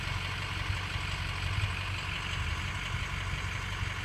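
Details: Ford 6.0 diesel (2004-up) after a new ICP sensor replaced a bad one that had caused a false P0299 and surging: smooth, deep, steady idle with no surge or misfire, IPR about 24%. It sounds normal.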